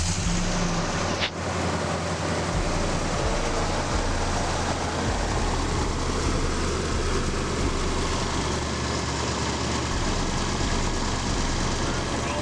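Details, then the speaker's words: 2011 Nissan Armada V8 with aftermarket exhaust and stock intake, just after a spark plug tune-up and before a K&N cold air intake: steady, deep rumble with an even tone and no misfires, ticks or hesitation, running normally. "just want you to hear i do have my exhaust done sounds pretty good but let's see what it sounds like after i do the intake system"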